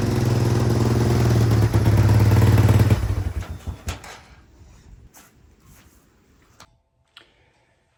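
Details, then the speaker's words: 1997 Yamaha Timberwolf 250 ATV after swapping in a 95 main jet: single-cylinder still pops and backfires on throttle and when backing off; cause unknown, possibly a faulty carb or wrong jets. "Well guys, as you can tell, um the adjustment didn't make a bit of difference for it. It's still doing the popping and backfiring."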